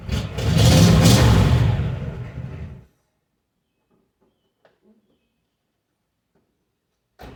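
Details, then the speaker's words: 1961 Cadillac Coupe DeVille V8 after a summer cold start following about four months sitting: a loud, raw bark that swells and dies over a few seconds. One brand-new muffler is blown, so that side runs on straight pipes. "muffler one of the Mufflers brand new muffler at that so running on straight pipes on one side"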